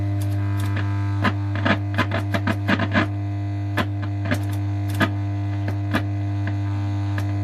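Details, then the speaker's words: Old Pilot valve radio powered up, playing faintly: loud steady low mains hum under the audio; owner thinks the reservoir capacitor is open circuit. "now it sounds like the reservoir cap is open circuit"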